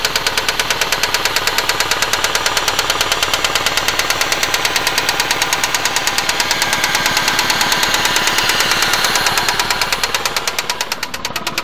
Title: Shiturn SL2 Engine Knock